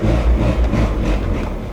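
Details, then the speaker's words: VW Golf, after fitting single-port injection and new distributor: deep labouring drone barely climbing under full throttle, sagging toward stall; badly down on power, cause unclear. "this car has like zero power now you had no power before but like watch this to the floor nothing like no power he barely wants to go"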